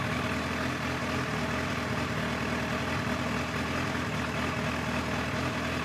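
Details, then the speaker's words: 1989 Kawasaki ZX-10 (ZX1000) inline-four, Keihin carbs, after carb work and fuel pump hose replacement, in neutral: smooth, steady idle with even beat, no misfires or hunting; some smoke, likely crud from bad gas burning off; normal idle. "nice as you can hear she's uh pretty much back to her old self when it comes to running"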